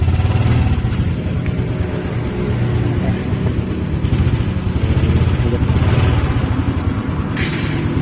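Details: Fuel-injected Honda Supra X 125 R with a dead electric starter, after the starter motor is refitted: the starter engages and the single settles straight into a steady, even thrum with no misses; normal start and running.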